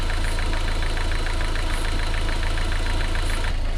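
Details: MG TF 160 VVC, rebuilt Rover K-series engine with elastomer head gasket: even regular idle about three and a half beats a second, no misfire or rattle; combustion gas test shows head gasket sealing perfectly.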